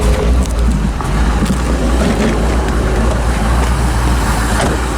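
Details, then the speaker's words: 1985 Chevrolet Corvette C4 V8 after fixing a poorly contacting negative battery cable: deep, steady idle with even rumble and no misses or knocks, battery charging, oil pressure and rpm good; normal idle. "as you can hear warning batteries charging oil pressures good RPM's are good unbelievable"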